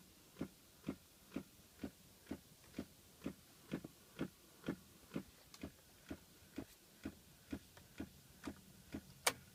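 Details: 2006 Pontiac Solstice, noise present every time since battery change: quiet background with crisp, steady tick about twice a second that never varies; source unclear — repetitive clicking.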